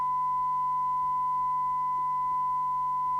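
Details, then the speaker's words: 1981 World Sound PT40 UK CB radio during receive alignment, 100 microvolt signal, detector being peaked; clean, steady single-pitch tone with no hiss or wavering, audio clearly improved; clear test tone. "hopefully we'll get maximum audio oh look at that Improvement"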